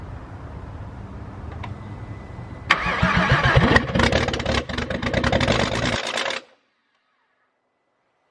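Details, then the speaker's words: VW VR6 engine cranked with an intake part detached (gets further that way): starter churns about four seconds with ragged bursts as if a few cylinders fire, but never catches; cranks but won't start. "i don't know that's where i'm at now so like i said i i get further with that intake being off of there and then like before it would want to crank"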